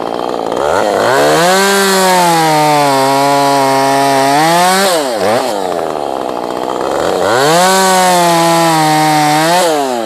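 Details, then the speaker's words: Ported Husqvarna 450 Rancher chainsaw: screams at full revs, drops back, then idle hangs high and creeps up instead of settling; cause unknown, owner thinks it can be tuned out, power fine. "idle kicked up on it a little bit there I hear it too um don't know what's going on there"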